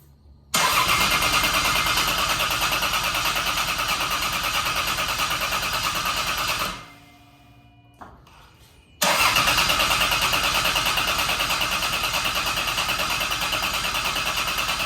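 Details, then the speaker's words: Turbo CT20 Lexus IS300 on its first start attempt after build: steady fast cranking for about six seconds, a pause, then another long crank, never fires; no fuel pressure because a fuel connector was left unplugged. "All right, guys, we figured it out. Matt won't take responsibility for it, but someone forgot to plug in."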